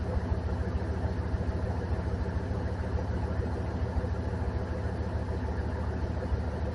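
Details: 2003 Dodge 2500 Hemi V8 idling after a new serpentine belt was fitted: steady low idle with an even, regular beat and no knocks, squeals or belt chirp; smooth and healthy.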